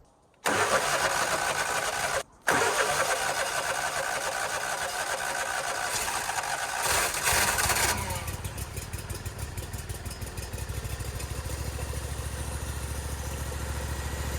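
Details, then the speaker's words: Briggs & Stratton Vanguard engine on a Vermeer SC362 stump cutter after replacing bent push rods and adjusting valve lash, valve cover off: fires after brief crank, smooth even idle, minimal vibration, no knocks; much better than before. "Sounds a lot better than what it did before. Very smooth, in a minimal vibration."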